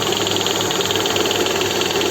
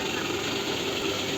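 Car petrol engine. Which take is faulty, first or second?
second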